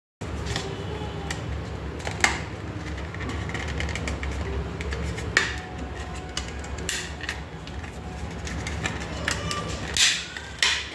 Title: wd my passport not working : clicking sound from hard drive #viral